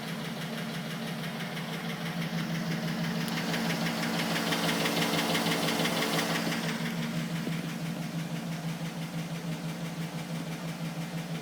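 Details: 2010 Cadillac Escalade ESV at idle: steady, light, regular clicking about three per second over an even idle; attributed to piston slap.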